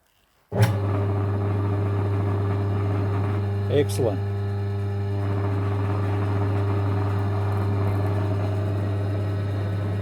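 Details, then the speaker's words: Long-unused secondhand air compressor after motor repair with capacitor repositioned to stop shorting: motor starts and settles to a steady low hum with slight buzz, likely frame vibration from loose mounting bolts. "now that sounds it's got a bit of a hum to it but i think it's actually more just the frames vibrating a little bit um and the bolts are actually still loose where i slid it back before"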